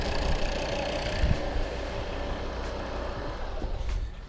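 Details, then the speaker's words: Volvo P3-platform diesel after fixing a loud knock near the injection pump: even, steady idle with a low rumble and no knocking or ticking; no extraneous noises remain. "все ребята торжественный запуск двигателя группа можешь никаких звуков посторонних больше нет послужить и все четко"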